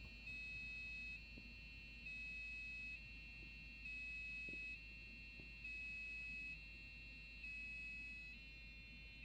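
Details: Custom Athlon PC, MSI board, AGP card, DDR RAM: shrill two-tone warble switching pitch about once a second nonstop at boot toward Windows; later suspected overheat alarm, not confirmed.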